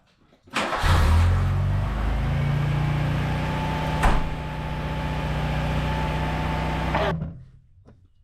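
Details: VW Mark II Polo GT Breadvan, previously cut out from running out of petrol: fires after a brief crank, holds a smooth steady idle for several seconds, then is shut off; runs normally.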